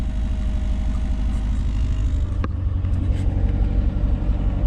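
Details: 1987 Chrysler LeBaron Town & Country Turbo salvage car, probably first run in several years after oil change: steady, even low rumble with no knocks, misses or ticks; healthy idle.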